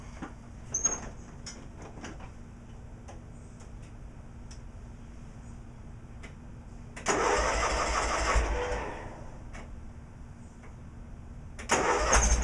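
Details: Cub Cadet 1862 garden tractor with original Magnum 18 engine and recently replaced PTO, pulled out of the garage: quiet stretch, then two short bursts of cranking as it catches, no knocks or grinding; normal start.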